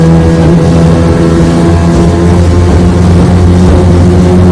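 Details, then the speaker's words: Restored 1996 Johnson 15 hp outboard (J15RED), warmed up, on another lake run under load: steady strong even drone with no misses or knocks; normal running. "just starts up idle here like I said I changed the handle change the handle of the stop switch uh redid the cover decals everything on it she runs great let's just take it for another little spin"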